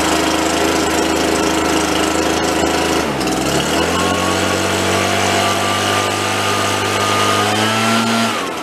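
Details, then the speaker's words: RedMax EBZ7500 commercial two-stroke backpack leaf blower, after teardown and repair, run outside 5–10 minutes: steady buzz dips briefly, then settles to an even, strong run; much quieter, working normally. "oh all right guys so that worked out pretty good seems like it's functioning like it should"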